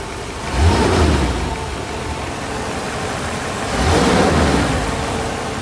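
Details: 1991 Mercedes-Benz 500SL (R129, M119 V8), fully warm after about 25 minutes of driving, idling in place: smooth steady low rumble with gentle rises, no knocks or hunting; normal idle, the high warm idle it is known for isn't occurring.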